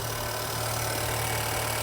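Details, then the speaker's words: Honda Civic Type R FK8, about 35,000 miles, category S wreck and former non-runner, after intercooler change and running with no coolant: smooth, even idle hum, steady low drone, no knocks, ticks or hunting; engine healthy. "oh nice beautiful the engine sounds so nice now we have no coolant so this going to have to be short and sweet"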